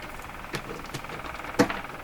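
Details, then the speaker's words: Stromberg Carlson Model 515 radio on the bench with a moderately low 11.2 signal injected: quiet hiss with a few sharp, irregular pops under a second apart; the radio itself is believed to make the popping, cause not found. "That's got to be this radio making that popping sound."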